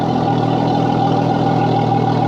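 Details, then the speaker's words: Yamaha F300 XSB2 4.2 V6 outboard at its 100-hour service, idling on a flush hose right after new oil, oil filter and spark plugs; even, steady idle with a clean constant hum, no misses or knocks; runs nice and smooth; normal idle. "Everything sounds good. She's nice and smooth."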